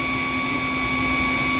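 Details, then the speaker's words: Underhood idle: steady high whistle of unchanging pitch that stumped technicians (suspected tensioner, idler, belt, AC compressor, fan); cause a leaking PCV oil separator diaphragm; patched with bicycle inner tube. "yeah what's the noise this is the old oil separator due to an unavailable availability of the set defective parts"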